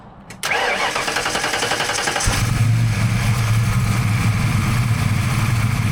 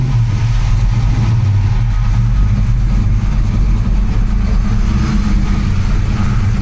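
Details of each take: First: 1992 Ford Mustang Fox notchback, 347 stroker V8 with AFR 185 heads on Terminator X, after fixing swapped injector wires on cylinders 7 and 8; cold start catches right away and settles into steady, even rumble, no misfire; normal idle. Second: 1992 Ford Mustang Fox notchback, 347 stroker, AFR 185 heads: deep, loping V8 idle with choppy, uneven exhaust pulses; injector wires for cylinders 7 and 8 found swapped.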